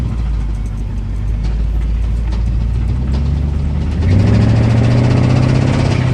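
Steady knocking at roughly four per second rides over the engine drone while driving and grows louder as the revs pick up.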